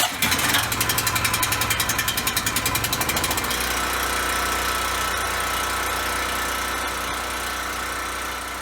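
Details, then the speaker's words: Westinghouse WGen3600 generator with replacement carburetor, starting with no load: catches with a quick pulsing chug, then settles into a smooth, even hum without surging; later held steady under a 1400 W heat-gun load. "on startup the unit starts without load and run smoothly without surging"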